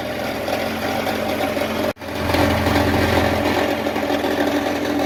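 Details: 2000 Jeep Cherokee XJ 4.0L straight-six idling on original exhaust before MBRP replacement: steady idle with loose, tinny buzzing rattle; exhaust muffler rattle at idle.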